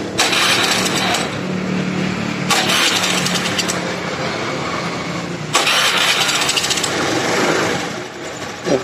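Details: Honda Scoopy FI scooter with white exhaust smoke after an oil change: it catches and blips but won't hold revs and dies. Fuel pressure peaks at 21–25 psi versus the normal 40+, and the piston and cylinder are badly scored.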